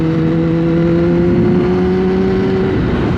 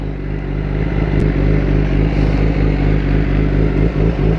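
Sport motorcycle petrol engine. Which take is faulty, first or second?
second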